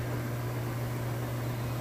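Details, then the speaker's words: Kenmore Elite high-efficiency front-loader spinning up in its final spin on a heavy jeans and towel load: an even low hum with a smooth whir and no knocking or scraping; a normal spin-up. "Alright, and now here we go. Final spin cycle. It's starting to get up to speed."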